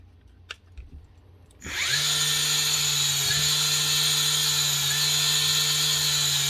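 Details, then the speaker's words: Power tool motor after repairing a bad lead connection: it spins up smoothly and holds a steady, even high whine with no stutter or dropouts, running properly and sounding much better. "nice one that looks and sounds a lot better"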